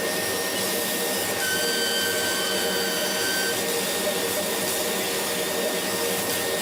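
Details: Laser cutter beam whistle: a thin high whistle comes and goes over steady fan and exhaust rush while cutting. It began after about six months of use, at the nozzle exit. Current rose 12→13 mA, with no uncut spots.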